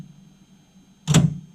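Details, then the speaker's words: 2007 BMW X5 E70 converted from halogen to OEM bi-xenon headlights: a single solid clunk in a quiet room as main-beam power snaps the shutter into position; normal headlight shutter operation. "that's just the edge of the shutter you can hear that clunk as it uh moves in and out"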